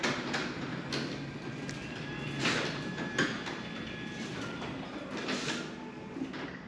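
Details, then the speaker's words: New Genie 6172H-0 wall-mount jackshaft opener on C.H.I 5916 insulated steel door with nylon rollers and 15 in radius track, about 40–45 dB versus over 60 dB for the old setup. Soft, even travel rumble, light roller clicks: normal quiet operation. "All right, there you go. You can see this is much quieter. It's about 40 dB, maybe 45 dB."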